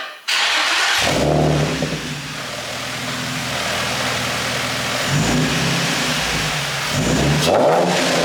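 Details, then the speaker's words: Infiniti G35 drift car with a new low-mileage engine and a short Godspeed exhaust kit, heard from the rear during throttle blips. Deep raspy note rises and falls cleanly; owner likens it to Tokyo Drift's black 350Z at high rpm. Normal revving. "The Black 350, it sounds a lot like that at high RPMs. Maybe down low, not as much, but similar to that."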